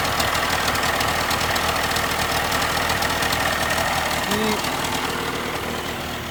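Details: 1987/88 Mercury 35 hp two-stroke outboard after new starter and solenoid replacing one that needed several key turns: quick, even idle with steady popping, no misses or stalls; starts and runs fine.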